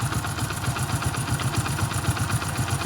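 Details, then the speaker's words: Hero Splendor+ single-cylinder motorcycle after 50,000 km, idling then lightly revved: about four thumps a second with a faint light clatter over it; owner suspects timing chain noise, not confirmed; oil leakage also seen. "हल्की सी timing चैन की आवाज़ है बल्कि इतना पैसा देने के बावजूद भी थोड़ा एक्सीलरेट करना भाई एक बार"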